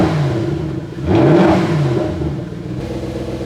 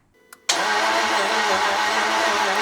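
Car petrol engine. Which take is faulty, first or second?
second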